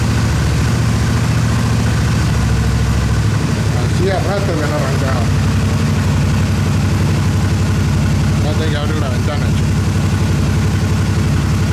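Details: Single-cylinder motorcycle, after repair of a starter solenoid that clicked without cranking: an even, steady idle thump with no clicking or stumbling; the engine starts and runs normally.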